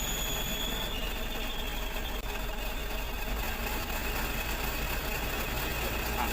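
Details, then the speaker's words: Ragasa PS120 diesel idling with a faint high whirring hum from a worn clutch release bearing, heard when the clutch pedal is pressed; replacing it requires removing the gearbox. "oleh teman-teman seperti itulah kerusakan pada leher kopling atau bearing posts"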